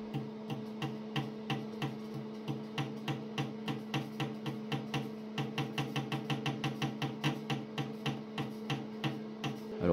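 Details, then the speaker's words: Stairville AFH-600 DMX hazer at pump startup in DMX mode: fluid pump clicks about three times a second over a steady hum, noisy because it is not yet primed. "fait du bruit parce qu'elle est pas encore amorcée"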